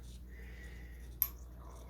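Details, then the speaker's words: Home-made hydrogen fuel cell with stainless steel plates: quiet hum then sharp snap of a circuit breaker tripping as voltage is applied, high current draw; one breaker faulty and not resetting, the other working but tripping occasionally. "and you can hear it clicking the other one just didn't reset so that's a bum one that happens from time to time you get a bad part so as it applies voltage it keeps tripping occasionally"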